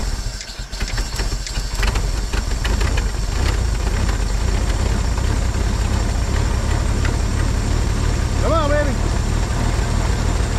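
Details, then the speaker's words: 1950 Chevrolet Styleline straight-six, parked about 7-9 years, first start attempt: cranking gives way to a steady, even low rumble as it catches and settles into a smooth idle; engine running; carb base O-ring appears to be failing. "did you just hear it kick in that's awesome that's it girl"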